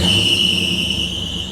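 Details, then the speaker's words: 1959 Pontiac Catalina right after start-up, carburetor suspected for a bad misfire: steady high-pitched belt squeal over rough running, misfire still present at idle and disappearing with throttle; slipping accessory drive belt. "Easy on the belt squeal, girl."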